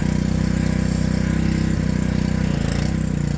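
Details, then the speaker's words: Honda Homelite pressure washer, stored about ten years and revived, started on one pull; steady even single-cylinder beat holds its pace as the water engages the pump and loads the engine, running smooth and healthy under load. "now you hear the water engaged in the motor. So now it's turning the motor with water."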